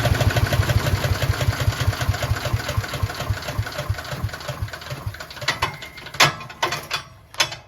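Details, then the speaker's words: Craftsman chipper shredder, small single-cylinder engine, excellent condition, started on one pull: fires evenly with a steady low pulse, no knocks or misses before winding down; normal running. "So there's the Craftsman chipper shredder. It's in excellent condition, and as you guys saw, starts right up."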